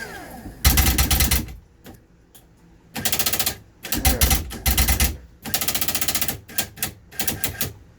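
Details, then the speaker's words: 2006 Rampage toy hauler bedroom slide-out that won't extend: repeated rapid hard clicking as the gearbox motor reaches end of travel, ratchets and binds; slipping clutch in the slide-out actuator gearbox/motor, new motor assembly recommended. "right so if I bring it all the way until it ratchets or class or clutches out it binds up again so it looks like the clutch back in there is bad"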